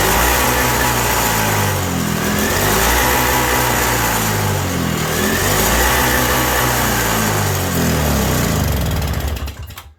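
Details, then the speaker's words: 1987 Toro CCR 2000 snowblower two-stroke, cold, with a newly fitted replacement carb; on choke, a hollow surging note rising and sagging every couple of seconds. Running lean, and jet adjustment in or out has no effect. "Yeah, running real lean. It only runs on choke. I'm turning the jet in and nothing."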